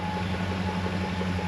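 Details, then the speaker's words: Chrysler Newport revived after about 22 years sitting, new fuel pump: a steady hum with a thin high suction-like whine over the idle. It runs leak-free and such noise is reportedly common with new pumps. "I don't know if you can hear that over camera, but the fuel pump makes this weird noise. And I did a little bit of research and it doesn't seem to be like too uncommon."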